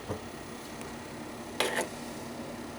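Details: Server CPU fan, received from the supplier, with a steady hum and sharp, irregular ticks about every second as it spins; the fan is ticking, cause unclear.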